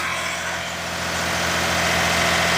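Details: Daihatsu S210P mini truck engine after new OEM camshaft and phaser, sat two years, 180 psi compression: steady, even idle with a smooth low hum, no knocks or misses; running clean.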